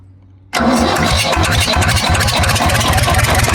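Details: War Department roustabout crane on an International tractor, unrun for 35 years, running on its own diesel despite an injector line leak. Fires instantly and settles into a strong, even beat of about four pulses a second with no misses; runs healthy.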